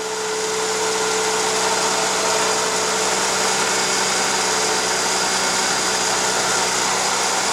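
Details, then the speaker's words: 2004 Mercedes C320 4Matic, engine running: loud, steady grinding whir over the idle from a worn water pump whose pulley wobbles by hand but is not leaking; pump to be replaced. "look at that it's making a heck of a noise let me start it up for you yeah she's not sounding too good that's for sure"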